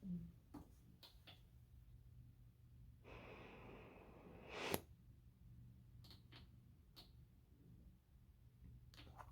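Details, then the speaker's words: Full face CPAP mask anti-asphyxia safety valve; soft fluttering hiss with each inhalation as the valve opens because pressure/airflow is too low for the patient; fix is asking doctor to raise pressure. ", bạn có nghe thấy tiếng ồn đó không, một số bệnh nhân thực sự nghe thấy điều đó và điều đó khiến họ phát điên. Họ không biết nó đến từ đâu."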